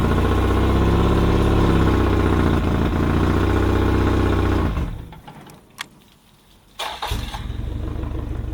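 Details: Yamaha outboard on a 1980/81 pontoon boat, with the choke turned back: an even, steady idle of about four pulses a second with no misses before shutdown, running healthy.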